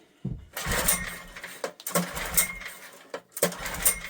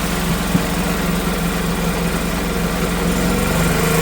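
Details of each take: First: Old Honda generator stored about 20 years, air filter missing, petrol poured into the carburetor, on choke: seven pull-start bursts of coughing and spitting that never catch. Cranks but won't start; spark present, owner suspects carburetor issue from sitting. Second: Old Honda generator stored 20 years (barn find), air filter missing, carb issue suspected: runs with choke on and throttle held, a steady, even low chug under a drill load, smoothing as choke is backed off.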